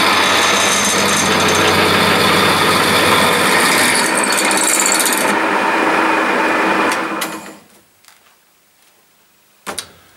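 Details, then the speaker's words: 1950s Meddings Pacera MB2 pillar drill, new Beatson motor and NVR switch, drilling roughly 3mm steel with a 10mm bit and WD-40: steady hum with even cutting hiss, then clean spin-down; runs fine. "nothing wrong with that"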